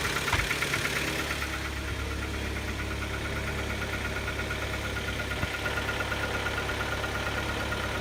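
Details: Kia Optima engine knocking at start-up: busy, uneven ticking knock about three per second over a just-started idle; internal engine fault, ultimately resolved by replacing the engine under warranty.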